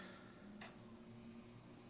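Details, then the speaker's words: Grid-tie inverters fed by four small wind turbines (WindMax 400, 600, 1K, Windy Nation 750 PMA) in gusty wind; single sharp relay click over steady electrical hum as inverters switch over normally. "you can hear the inverters clicking over"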